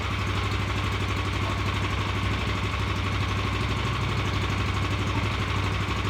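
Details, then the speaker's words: Revived Vanguard 9 hp single-cylinder tractor engine after carburetor work: steady thumping at a raised, fast idle that doesn't drop back even with throttle switch down; sticking throttle cable not returning, holding it open. "went through there and noticed that the throttle cable was sticking it wasn't returning all the way so it would just sit it high idle even if your uh your throttle switch was down"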